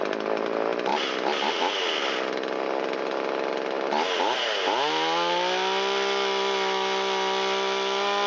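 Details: Shindaiwa 360 chainsaw, long-stored, non-EPA Walbro WT-89 carburetor, choke in, after low-speed screw turned out half a turn for a lean bog: idle sags and drops in pitch briefly, then settles to a steady burble. Slightly rich idle mixture; screw turned in a quarter turn.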